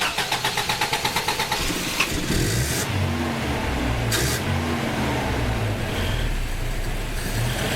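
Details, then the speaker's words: Carbureted Toyota Hilux after an ignition module short: steady cranking for about two seconds with no firing, then coughing and sputtering after cranking stops. Owner suspects a fault in the switched 12 V supply to the ignition coil. "because you can hear it like there is no starting like while I'm cranking the motor there is no starting that motor whatsoever"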